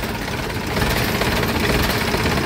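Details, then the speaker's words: Isuzu 4BC2 diesel idling after alternator repair (stator rewound): even clatter with no whine or grinding, the earlier alternator noise gone. "guys wala n ingay kanina maingay yun guys h lang natin narinig kanina pero ngayan na maingay yon"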